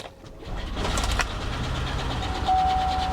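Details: 1977 Ford Bronco V8 at auction, jump-started with booster pack, oil pressure 40 psi: catches and runs rough with an uneven light tapping in the rumble, a dead miss; sounds like lifter damage.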